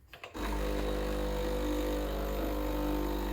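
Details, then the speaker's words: Breville Barista Express BES870 espresso machine run with the water tank empty: loud buzzing rattle kicks in sharply and holds steady, the pump running dry; running it too long without water can damage the pump and boiler. "But this is what it sounds like without the water tank, without any water in the water tank. It starts rattling, so you don't want to do that."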